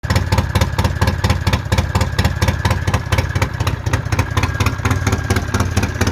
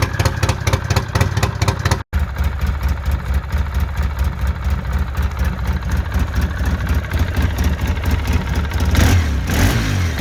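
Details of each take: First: Polaris Sportsman 700 ATV idling with a sharp, regular puffing tick on each firing pulse from an exhaust leak. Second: Polaris Sportsman 700 ATV, single cylinder: steady, even low idle thump with no sharp puffing or ticking.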